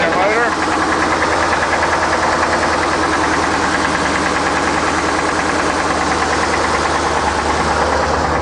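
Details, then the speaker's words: Isuzu NPR gas 16ft box truck, automatic: steady idle with a dull, loose knock under the engine noise; the motor has a knock and needs repair. "oh you're looking at a Zuzu NPR box truck overall this is a nice truck all the way around but one big problem the motor the motor has a knock in it and needs a repair"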